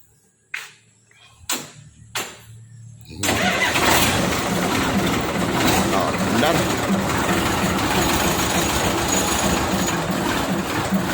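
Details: Fuso 6D40 truck diesel after starter repair (worn armature center plate fixed and bearing replaced) following a no-start where the starter only clicked: a few sharp clicks, then it catches at once and settles into a steady, even run; normal start.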